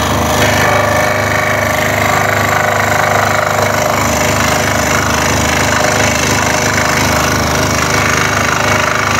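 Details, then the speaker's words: Scroll saw cutting a jigsaw puzzle, with a fast steady clatter about three per second over the saw drone; the workpiece is slapping the table with each blade stroke. "that noise is coming from the work piece just hitting onto the bed or the table of the scroll and nice and steady"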